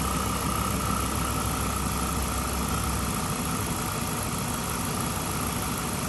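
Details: 2007 Chrysler 300C Hemi V8 that was overheating, after coolant refill, idling with heat on to burp air: steady, even smooth low rumble, no knocks, ticks or misses; normal idle.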